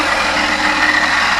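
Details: Suzuki Every Wagon DA64W, K6A engine, idling: a steady, loud hum with a hissy, rattly top end that doesn't change. Loud engine noise, cause not pinned down.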